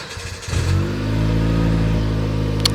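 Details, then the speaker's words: Old Jeep revived after sitting and being repaired: brief crank, the engine fires at once and holds a smooth, quiet, steady low idle with no roughness or knocking; sounds healthy. "I don't know if you can tell if it started or not it's a little quiet"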